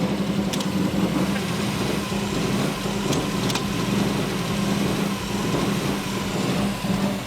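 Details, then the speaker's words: Subaru WRX rough, wandering hunting idle with occasional sporadic sharp clicks/pops; flames seen coming out of the inlet manifold, intake backfire, doesn't drive right, cause still undiagnosed. "It has that occasional click. Are you ready for this? It does it sporadically. There are flames coming out of the inlet manifold."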